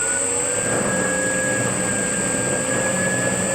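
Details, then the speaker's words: Circa-1940 Hercus lathe with 80 years of wear, under rebuild, running with a steady droning hum and held tones and heavy vibration; pulleys and possibly a gear suspected out of balance, not confirmed. "okay pick it up from the video remember had a lot of vibration on the lathe"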